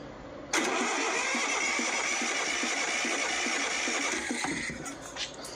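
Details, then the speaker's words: 1979 Lister ST2 diesel being revived, cranked with the injectors cracked open to check for fuel. Steady cranking at about four compression beats a second, never catching and no fuel appearing; the fuel filter housing had no filter and dirty fuel. Cranking with no fuel delivery. "it'll get all your hair out so let's see if we get any fuel out of it crankola"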